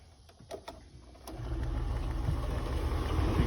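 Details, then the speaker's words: Early Anker Powerhouse 767 before its firmware update, running a 5,000 BTU window AC; clicks, then an uneven, surging drone as watts jump from 100 to 1,800 (the unit normally draws under 500). Unstable inverter power. "the window unit is making funny noise and then you can see the Watts saying 100 now saying 1,800"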